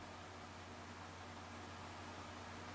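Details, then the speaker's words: PC with a GTX 1070 Founders Edition GPU under a quick load run, fans at about 30-40%; the CPU cooler is a Corsair H80 with Noctua NF-F12 fans. Soft, even airflow hiss with a faint hum and no rattle or whine: normal fan noise. "My CPU cooler, when it ramps up to the maximum, is a bit noisier than this GPU. But when they are idling or only going 30-40%, like it is now, I don't hear them."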